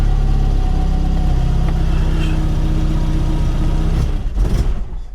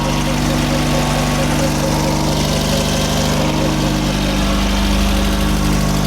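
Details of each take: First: VW Mk1 Golf Cabriolet after an engine swap and automatic-to-manual gearbox conversion, cold first start with the choke partly off: a loud, uneven, lumpy rumble for four seconds, then it sags and stalls. It needs tuning, and more choke helps. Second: VW Mk1 Golf Cabriolet, cold after an engine swap and 5-speed manual conversion, with more choke put back on after a rough idle. A steady, even idle with a constant deep drone and no misses or knocks. Running smoothly on choke.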